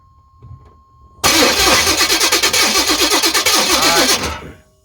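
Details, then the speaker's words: 1985 Chevy C10 with high-compression 383 stroker, revived after 10+ years, water found inside: starter churns at about three even pulses a second for three seconds without firing; cranks but won't start, owner suspects it's too wet. "oh still no fire yeah we got no fire though I wonder if it's just too wet"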